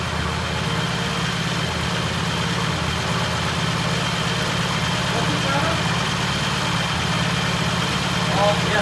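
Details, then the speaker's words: 1968 Triumph T100 twin on first start after repair work: steady, even idle with clean regular beat and good rev, no knocks or rattles; runs healthy, ignition timing to be checked. "Okay, we got a really nice idle, really good rev. Sounds good."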